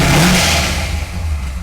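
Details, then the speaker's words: Chevrolet Corvette Z06 with a big cam, check engine light on, clearly not tuned right; deep loud V8 rumble with uneven loping beat under a brief blip, lumpy idle, valved exhaust. "okay so it has a big cam in it and clearly not tuned quite right"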